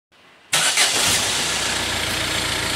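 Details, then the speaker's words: 2011 Ford Fiesta 1.6 TDCi diesel, which cranked without starting with code P0336, after a new crank pulley replaced the worn pickup ring: a short crank catches at once into a steady, even idle. Normal start and idle. "now it's working fine i'm going to stop this we can have a look at it it's all good though as you see it runs now"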